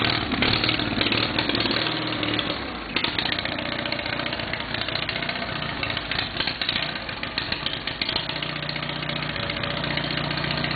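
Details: Case 646 engine that runs fine after setting the points gap to 0.020 but starts running crummy partway through a later run; chugging with a slightly uneven, hunting beat, cause not pinned down.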